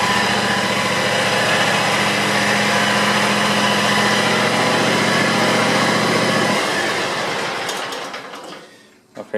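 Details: John Deere X320 mower, 260 hours, after clutch bearing replacement and new belts: engine runs steady and even at speed for several seconds, then winds down and stops, no grinding or squeal; repair called semi-successful.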